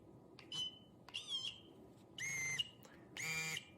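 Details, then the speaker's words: XP MI-6 pinpointer in pitch audio mode with vibration on, switched via the cold menu: short bursts of steady high tone at a fixed pitch, spaced by gaps, working normally. "so do you hear that so the vibration is on and that is the pitch"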